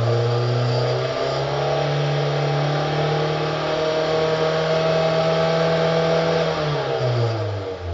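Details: 2005 Hyundai Sonata 2.4 L, 119 kW petrol engine revving up and settling with a deep, uneven knock under the engine note; worn crankshaft bearings, replaced.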